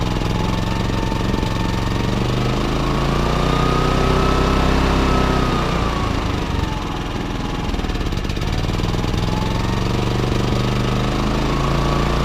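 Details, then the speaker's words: Baliy 3700 W remote-start portable generator, unused over a year with carburetor buildup, new spark plug fitted: engine speed rises and falls, surging in eco mode and still slightly rough with eco off; owner suspects weak spark or bad gas. "so you guys can hear it it's surging on eco mode and even with eco off it's still running a little rough"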